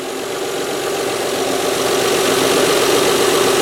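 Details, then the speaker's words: Mazda 626 at idle after new idler pulleys and both manually tensioned drive belts fitted, replacing a 19-year, 125,000-mile pulley with a bad bearing: steady, even idle hum, no chirp, squeal or rattle; accessory drive healthy. "water-pump very important obviously and I should just he out like world of a difference you know seriously really very happy about that"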